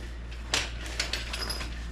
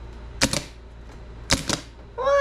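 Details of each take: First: 1988 Camaro RS sat about 10 years: key bumped repeatedly after hammer taps on starter, just a few single sharp clicks each time with no cranking; starter drive isn't engaging, owner unsure if starter is good or bad. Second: 1988 Camaro RS sat about 10 years, starter wire-wheeled (previously spun but wouldn't kick out): several short high whirring bursts spinning up and winding down cleanly; starter now spins freely and drive engages; no fuel pump yet.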